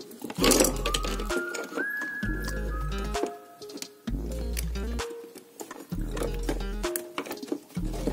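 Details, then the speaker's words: Hafidz children's speaker after repair for low, crackly sound, contacts sprayed with contact cleaner and dirt cleaned with thinner: music plays clearly at steady level with no crackle or cutting out. "Oke Langsung Tidak ada suara kemerosok supaya kita tambah pintar Oke sudah bersih suaranya nanti kita rapihkan dan kita tutup"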